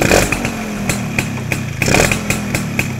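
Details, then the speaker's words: Yamaha SS two-stroke after air-screw adjustment: sharp crackle on throttle that drops straight back to a steady idle without hunting or hanging; carburettor set right, running clean and smooth. "Dia punya smooth enjin dia memang mantap geng. Langsung tak ada bunyi dia terus jatuh"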